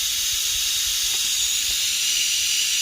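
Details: 3" Fowler engine that ran rough on one stroke, airline connected over a valve to pressurize the cylinder: steady sharp hiss with no running beat; air leaking past the piston into the exhaust.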